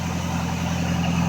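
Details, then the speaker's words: MG Magnette ZB V8 coupe, cold, automatic mechanical chokes on fast idle during three-minute warm-up, recorded near the exhaust: steady, even, slightly raised idle with smooth exhaust beat. Cold fast idle. "just let it idle for 3 minutes standing back here near the exhaust great way to get asphyxiated but you can still hear that it's on fast-idle"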